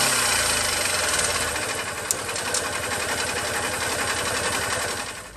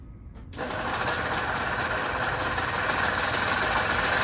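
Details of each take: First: 1970s EZGO golf cart engine after internal starter-generator brush fix, on choke: cranks, stumbles near stall, then runs rough and uneven; flooding because the carburetor float needle isn't seating. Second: 1970s EZGO golf cart on an evening test drive after the internal starter generator repair: engine catches and settles into a steady, even run with no knocks or misses, and it pulls and drives smoothly. Normal running.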